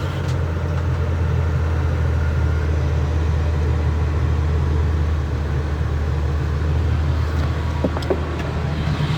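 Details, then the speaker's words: 2004 Ford E-350 Super Duty V10 van, 70,000 miles, first start after sitting about six years, following tune-up with fresh fuel, new filters and fluids; steady low rumble, smooth and even with no knocks or misses: normal idle. "Well, that's a good sign. Real dirty, but she's running."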